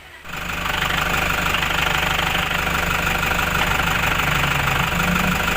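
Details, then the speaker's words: Toyota Hiace 3.0 1KD diesel at idle, a few days after new clutch components were fitted: a steady hollow clunk about three times a second ("klok klok"). It disappears when the clutch pedal is pressed. The clutch is suspected, not confirmed. "Mga ilang araw pa lang, nagkaroon po ng lagotok. Yung loob, yung tunog niya, yung parang klok klok klok klok, pa ganun. Ito yung tunog niya, isisingit natin."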